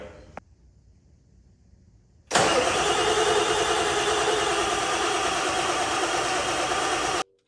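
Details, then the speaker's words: Barn-find OBS Ford F350 7.3 diesel with very stale fuel, glow plugs manually energized before cranking: even starter cranking about 200 beats a minute for five seconds, engine burps but won't start; cause suspected, not confirmed. "I've been manually turning the glow plugs on with a screwdriver with the key off, then jumping in, turning it on, waiting, cranking, and it it's burping. It's It's getting close"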